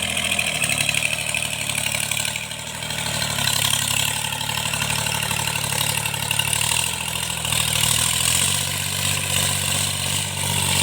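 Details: Tractor diesel cultivating under working load after an engine knock was repaired: steady, even drone with no knocking or tapping through the field noise; sounds healthy.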